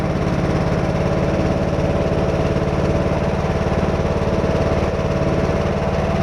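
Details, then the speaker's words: Craftsman T110 riding mower after tune-up (new plug, air filter, oil, blades), blades engaged: steady single-cylinder thrum with an extra rough drone underneath; suspected failing spindle or idler bearing, not confirmed. "i'm pretty sure y'all can hear that extra noise there that sounds like one of these bearings has gone either the spindles themselves or one of the idler bearings"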